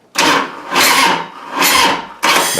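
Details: Harley-Davidson motorcycle in December, sat about a month, battery dead and not charged long enough; three weak drawn-out cranking bursts with no firing, too flat to turn the engine over.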